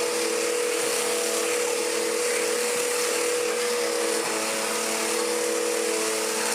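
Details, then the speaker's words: Restored mid-1990s Dirt Devil DD6114 upright vacuum, an Electrolux Contour clone, on its low setting: a smooth, steady motor whine with a constant pitch and no rattles or surging; it works normally but is mediocre, and its belt tends to flip over. "it works, cannot deny that, but it's so mediocre. I think it's working fine, it's just not that good."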